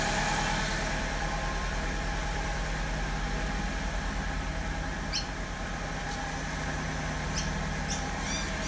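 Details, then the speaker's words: 2002 Alfa Romeo 147 2.0 Twin Spark 16-valve, misfire at idle and acceleration: uneven, lumpy idle with periodic stumbles in the exhaust pulse; a cylinder dropping out, later traced to a faulty ignition coil. "This is my Alpha 147 2002 2 litre twin spark. I have a miss on idle and accelerating."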